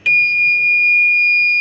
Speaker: it's pretty annoying. I do believe I could hear that from the front of the boat while I'm letting it in.